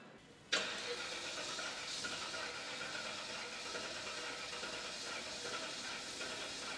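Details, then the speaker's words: Cadillac Seville STS V8, first start after rebuild following blowup; steady hissing starter whirr for several seconds with no firing; fuel line believed empty; cranks but won't start. "sonra her şey Tamamsa Ondan sonra basacak marş almıyor Tabii bün yakıt hatı boş"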